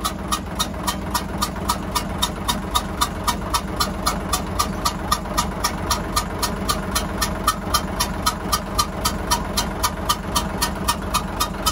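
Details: Hyundai 6D16 diesel, previously fine, suddenly making a hissing "xẹp xẹp" noise with heavy smoke. A sharp rhythmic puffing hiss, about four per second, rides over the idle: compression escaping through a blown head gasket.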